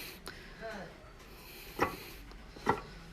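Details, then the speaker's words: Broken transmission from a 4A-G KE70, input shaft turned by hand: very hard to turn, two heavy clunks about a second apart with gritty crunching; gears or bearings suspected. Crunching and clunking when turned by hand. "so when I try turning the input shaft uh it's very hard to turn so I I don't know if you can hear it but the gears or bearings are crunching inside"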